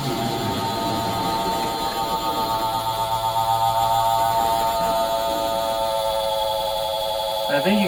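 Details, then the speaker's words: 1958 American Flyer S gauge five-digit Alco diesel locomotive, running after reversing direction. A continuous buzzy electric drone from the 'diesel roar' sound effect, steady and uninterrupted: working as intended. "you can see why they decided to put it on off switch for the diesel rower it gets to be pretty annoying"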